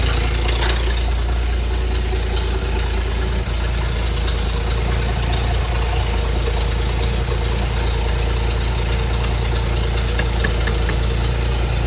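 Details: Ford inline six (possibly a 265) in a Hobart APU cart, sat 8+ years, running after a new battery and fuel line hookup; steady low rumble holding an even pace, healthy.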